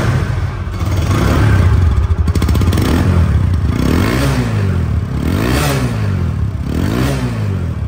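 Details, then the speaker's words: Used TVS Apache RTR 160 2V Xconnect, 2,200 km original: steady single-cylinder idle with a few smooth throttle blips, even beat, no knocks or rattles; sounds the same as a showroom-new bike. "Sound দেখছেন, শোরুমে যেরকম sound, অবিকল ওই রকমই sound, কোনো পার্থক্য নেই।"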